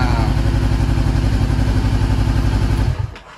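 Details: 2013 Honda CBR500R twin, restored after salvage-auction wreck, second start after fuel pump priming: smooth, regular idle holding steady about three seconds before shutting off cleanly; engine sounds healthy.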